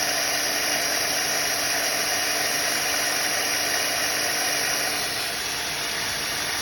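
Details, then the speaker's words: Premier 556 pool pump, 20–30 years old, after bearing replacement for train-like noise: about 90% improvement, only a small drip left, with a seal to be ordered. Steady even hum with fine hiss, no grinding or bearing rumble; normal running. "Let's see if it works. Uh 90% improvement. Um usable dripping."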